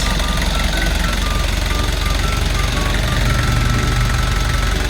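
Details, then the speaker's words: Kia Bongo Big Eye diesel with electronic pump, after a no-start: even idle clatter about three beats a second, no stumbling or hunting; healthy normal idle. "Ah goods na siya. Goods. Okay. Lalarga na siyang unit Ah."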